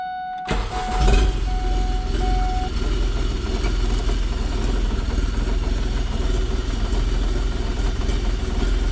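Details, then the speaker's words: Smart Fortwo CDI diesel after installing slide-in EGR block-off plate: short crank catches within a second, settling into steady low idle with soft even clatter; engine start and idle check. "It's all installed. I'm going to start it up and just make sure everything is working as it should."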